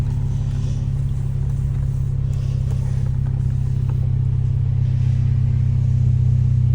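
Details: 2015+ MK7 VW GTI after installing OEM RS3/TTRS low-pressure fuel pump with custom harness: smooth, even low rumble at steady idle with no misses or knocks, no EPC light; idles cleanly.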